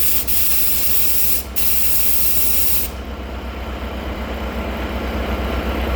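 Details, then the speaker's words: Heavy-duty truck air brake system, tanks refilling after the air was run low, during an air dryer/pop-off valve replacement for snorting every 15 seconds: a sharp, steady hiss from the tank drain drops off with no water spitting; tanks are dry. "If there's any moisture in the tanks, it'll blow out. Oh, no moisture. No."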